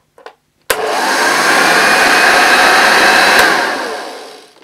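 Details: Unused 1975 Hoover Junior 1346A upright vacuum, first switch-on with the belt refitted: steady, even whirring hum holding level a few seconds, then winding down; runs smoothly and sounds healthy.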